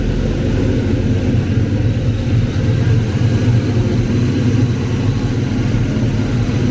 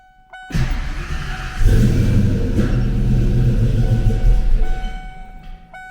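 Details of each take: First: Ford Foxbody 5.0 Mustang with Kenne Bell 2.1L supercharger on the third start attempt, after fixing a couple of spark plug wires: deep, steady V8 rumble, even beat, blower spinning without clanging. Normal running; owner hears a slight squeal and may need a shorter belt. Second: Foxbody Ford 5.0 Mustang with rebuilt Kenne Bell 2.1L supercharger, first start in a year: V8 cranks, catches, then idles lumpy with a couple of sharp pops; misfire from crossed spark plug wires.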